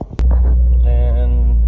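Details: 2017 Subaru WRX idling steady and even with a deep low hum and no stumbles, after spark plug replacement cured a misfire with check engine light; dash lights now off.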